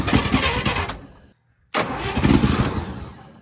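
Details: 1958 Chevy Apache truck engine after sitting for decades, oil pressure line capped against leaks: two bursts of uneven cranking at about four turns a second with a pause between, but it never catches.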